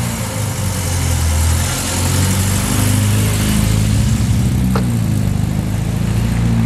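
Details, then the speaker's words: 1966 Triumph Spitfire MK2 after correcting swapped plug leads on cylinders 2 and 3 (firing order 1-3-4-2), previously running on two cylinders: steady, even low burble with no skips; all four cylinders firing, normal running. "So, after car did the magic, this is what the car sounds like."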